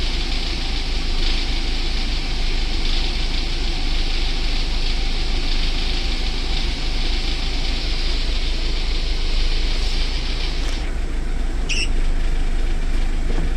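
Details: VAZ 2109 engine after a full overhaul: deep, even idle hum with no ticks or knocks; normal idle.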